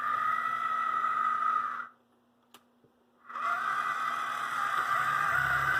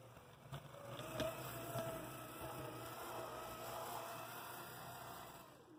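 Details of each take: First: AC Gilbert Alco diesel model locomotive after drive shaft repair, run with shell on, no added weight: small motor whirs with buzzy mid-pitched tone, pauses, runs on; the shell adds an unwanted buzzing rattle while the drive system works well. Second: AC Gilbert Alco diesel model locomotive under restoration, new drive shafts installed, shell removed, no extra weight added, on track: quiet, even motor hum with soft rail clicks at a slow crawl, no binding or grinding; normal slow running.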